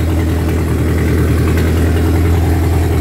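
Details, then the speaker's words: Rebuilt Mercruiser 3.0L from a 2006 boat, freshly started after an oil-pressure-loss rebuild: steady, even low idle with no knocks or misses, 40 psi oil at idle. Timing not yet set; carburetor suspected a little lean. "That's pretty impressive. Nice and smooth. Let's see what the oil pressure is at idle. We got 40 pounds at idle. Wow."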